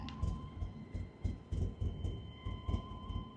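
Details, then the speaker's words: Saab 9-3 barely running with flashing check engine light: idle lurches in uneven, stumbling pulses with a chime ringing over it, shaking the exhaust, engine won't rev; badly misfiring rough idle. "The car is barely running, flashing check engine light. You can hear the idle."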